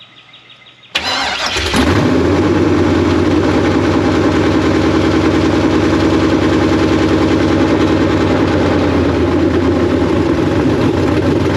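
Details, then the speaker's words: Chevy/GMC K5 Blazer V8 with big cam, just fitted with Holley Terminator X EFI and E85-type injectors: cranks and catches at once, settles to a slightly lumpy idle during EFI self-learn, all eight cylinders firing; normal running. "okay we definitely have all eight now uh weird with the idling but it's kind of doing the self-learn thing and this has a big cam in it"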